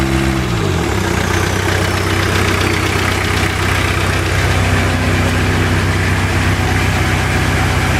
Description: Has new rod bearing and new lifters (less than 100 miles) but still making the annoying ticking sound.